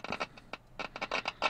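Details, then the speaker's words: RCA 3-BX-671 shortwave receiver speaker tested with an ohmmeter on about the 1-ohm range: short, sharp scratchy clicks each time the leads touch, showing the speaker works normally. "There's your speaker. So the speaker is good."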